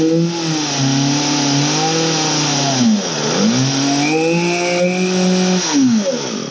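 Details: Old Poulan 3816 two-stroke chainsaw, 16in bar, after repair and carburetor low/high/idle adjustment: revs up cleanly, drops to a steady idle and picks up again without stumbling; running healthy.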